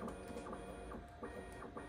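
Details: Bambu Lab P1S after lubricating the Z-axis belts under the printer to cure squeaking: soft whirring steps as the bed travels halfway down and back, with no squeak or chirp; Z-axis moves cleanly and quietly.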